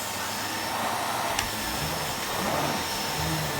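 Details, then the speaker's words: Miele Revolution 700 vacuum with powerhead on carpet at reduced power: steady airy motor roar and smooth brush hum, no rattles or strain; slight whine owner attributes to bearings; normal vacuuming. "and it works really well really smooth to use"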